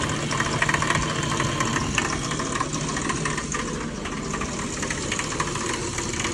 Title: E36 M3 clanking/ knocking noise. Please help!!